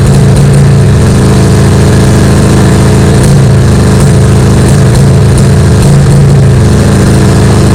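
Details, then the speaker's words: Craftsman Kohler 7000 series 20 HP twin mower engine after tune-up, running at high speed with an uneven stumbling beat as one cylinder, seemingly left, cuts out; compression 150 both; failing coils found; high-speed misfire. "It's It's got a high-speed miss on one of the cylinders. So, I even pulled the plug wires on each side to see if I could get it down to one side. And it sounded like it's more on the left side"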